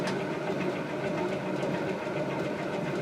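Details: Emerson CF-28 2-blade antique ceiling fan, circa 1900, run zero to high at 120 volts, drawing about 2.81 amps: steady even whir over a soft hum, no ticking or rattling; running smoothly on high.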